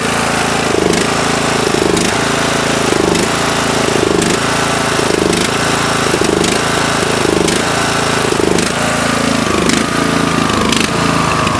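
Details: Murray lawn tractor, 16.5HP Briggs & Stratton 31C707 single-cylinder, carb previously clogged: loud thump surging about once a second under load (weight on seat), with sharp exhaust afterfire pops. Owner suspects the carb; not confirmed.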